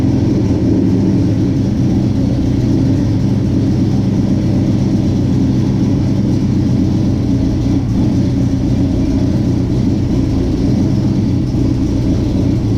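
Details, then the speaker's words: 1967 Chevy C10 V8 with newly installed Holley Sniper fuel injection, transmission fluid just topped off, idling in gear while backing out of the shop: steady, even low rumble with no misses or hunting; normal healthy idle. "As you saw, we put it in gear. She idles back out. No problem."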